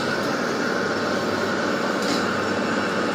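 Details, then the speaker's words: Lathe making a deep cut on a submarine build part. A steady, even hiss and rumble with no squeal; it is close to chattering, but the new approach gives better, more controllable chips and a much deeper, faster cut. "now if I go too deep it Chatters you can hear it's itching to chatter but that's way better I'm getting a really deep cut"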